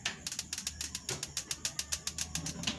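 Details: Old Tecnogas freestanding gas cooker, over 10 years in use, electric spark igniter lighting the top oven burner, which has a safety valve: sharp bright ticks about three to four per second, steady and regular; normal igniter clicking.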